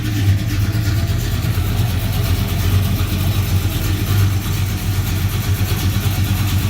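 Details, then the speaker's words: 1978 Ford Courier 351 V8, nearly warmed up and idling indoors: deep, choppy rumble with an uneven loping pulse and fierce vibration; the engine tends to run hot. "as you can see she shakes a little it's a rumpity little thing the problem is it gets a little warm so we're gonna work on that"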